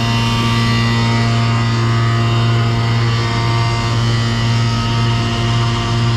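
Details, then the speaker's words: Pneumatic bulk tank unloading cement, line at 12 psi, aerators closed down: steady deep hum with no aerator hiss, gauge and hose jumping; good product flow. "but you notice you don't hear the aerators anymore so now we got really good product flow"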